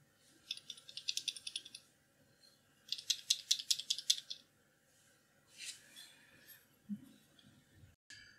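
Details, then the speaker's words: PUMA 3D-printed microscope beam splitter, freshly assembled in its filter block: bursts of light, high-pitched ticking rattle, about two to three per second, when shaken; the plate sits free as intended, avoiding deformation and astigmatism. "so now your beam splitter is assembled we need to just insert the screws to complete the assembly and it's important to hear that rattling sound because you do not want the beam splitter to be held rigidly in place otherwise it will result in deformations and astigmatism"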